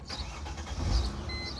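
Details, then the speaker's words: 2005 Mercedes ML350 with a fuse box wetted by a moonroof leak; brief fuel pump whir on prime, then the engine catches within a second and runs evenly; normal fuel pump prime and start. "Definitely primed. Try it again. Let's go prime. Yep, heard it that time."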